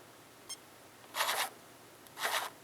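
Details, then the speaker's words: RC vehicle with Holmes Hobbies Torque Master BRXL ESC in quiet mode, at gentle low throttle: two soft hissy rolling bursts with no high-pitched motor whine, normal quiet running. "just movement absolutely awesome feature truly an awesome feature that is quiet mode on the brxl"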